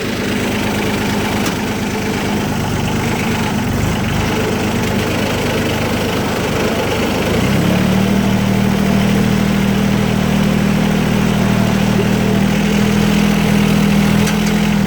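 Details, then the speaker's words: Cub Cadet 154 Lo-Boy with Mitsubishi L3C three-cylinder diesel repower driving forward: steady, even clatter that firms up and deepens slightly taking up load, no knocks or misfires; running normally. "I'm going to go ahead and I'm going to go forward a little bit, whether it gives you guys an idea how it sounds going forward."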